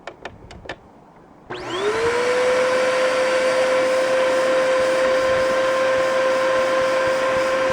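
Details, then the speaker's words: Bissell Powerforce bagless vacuum run with a filter removed for testing; steady strained high whine with little airflow rush, still weak suction; owner suspects plugged hose. Air path and filters clogged, hair found. "Still not much suction. The hose must be plugged."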